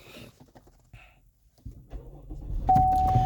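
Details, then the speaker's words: 2017 GMC Acadia Denali with click-no-start fixed by replacing the blown 350 A mega fuse: a few quiet clicks, then a short crank that catches and rises into a steady running note; the engine starts normally. "and there we go that Mega Bus fuse what the issue"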